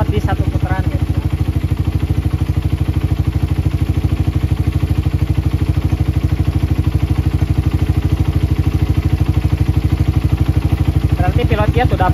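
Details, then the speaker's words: Motorcycle with PE carburetor, engine just started, air screw adjusted for highest RPM and most stable idle: steady even putting at idle with no hunting or surging; normal stable idle. "nah kelebihan setelan angin ee saat langsam atau mencari langsam paling stabil nanti setelan langsam itu enggak perlu banyak-banyak dia langsamnya udah stabil"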